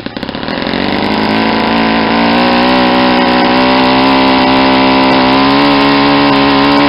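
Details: Saito 50 four-stroke on its first run after a rebuild (new ring, new bearings), warm, APC 11x7 prop, Omega 10% fuel. As the needle is leaned toward peak RPM, a steady high buzz climbs in pitch, then holds flat. Leaning also decreases the exhaust smoke.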